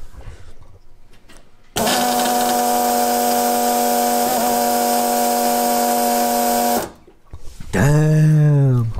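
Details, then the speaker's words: AEM 50-1005 inline high-pressure fuel pump with pre- and post-filters feeding a Holley Sniper EFI on a 351 Cleveland, run on direct power: steady, loud electric whine and buzzy hum, perfectly even; normal, just noisy. "this is what it is for now and here's how she sounds she's a loud boy"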